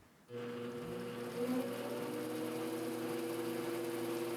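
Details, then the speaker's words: Grizzly G0765 7x14 mini lathe in low gear after a new motor pulley and belt, steel headstock gears and tapered roller spindle bearings: quick spin-up to a smooth steady hum; slight vibration from an unbalanced four-jaw chuck; normal running. "there's a very very small amount of vibration I'm getting in that is entirely due to the four jaw Chuck I didn't have all the Jaws lined up so it's a little bit off balance"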